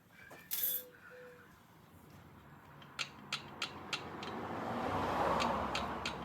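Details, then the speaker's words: 1972 Triumph TR6 650 five-speed oil-in-frame, engine stopped, checking rocker clearance: four crisp light metallic taps; correct valve clearance. "No play, no sound, total silence. And that is a beautiful 2 and 4."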